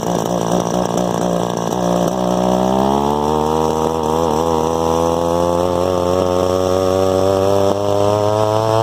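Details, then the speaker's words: Echo SRM 2100 two-stroke trimmer just after replacing carburetor, fuel lines, purge bulb, filters and spark plug; revs waver and stumble on throttle instead of climbing cleanly; owner suspects low-jet carburetor tune needed for bogging. "So we might fuck around with the low jet because it sounds like it's bogging down when I hit the throttle, so it might need a little carburetor tune."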